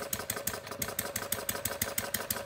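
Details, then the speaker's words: Homemade single-cylinder plumbing-parts gas engine (about .875" bore, 1.5" stroke, 7" flywheel), not fully cold, choke just opened: light uneven popping with skipped strokes, misfiring from too-rich mixture; needle valve being closed clockwise slowly to lean it. "now I'm going to adjust the needle valve in here it's misfiring so I'm going to start closing the needle valve by turning it clockwise very slowly"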